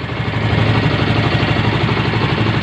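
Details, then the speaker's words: Yamaha Mio M3 125 scooter after repair of rattling (kemlatak) engine noise, engine oil had run out: steady, even low putter at idle, no knocks or rattles; engine 80-90% smoother than before. "Nah, intinya di bagian mesinnya perubahan sudah jauh, 80-90% sudah halusan."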